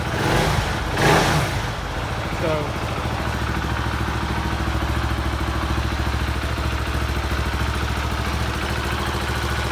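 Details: 2018 Husqvarna Vitpilen 701 single after Coober ECU install, restarted once a forgotten harness connector was reattached; brief rough catch at start-up, then steady, even thumping idle with no stray knocks: normal start and idle.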